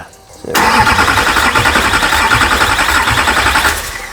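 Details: Imported US Duramax diesel in a Patrol, first start attempt: starter cranks at an even rapid beat for about three seconds but never catches; crank no start, later traced to a loose injector connection and lack of rail pressure.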